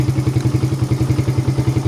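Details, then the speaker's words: Suzuki Satria FU 150 single-cylinder after valve clearance adjustment: even, steady putt-putt idle at about eight pulses a second with no misses or tapping. Clean idle that stays stable after the engine is revved. "The initial start is also good and we try to make the engine growl. The position of the gas down is fast and remains stable."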